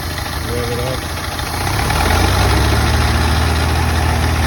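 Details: Model A engine at idle: a low, lumpy idle with an uneven thump breaking the beat every few strokes, like a cylinder missing; misfire at idle.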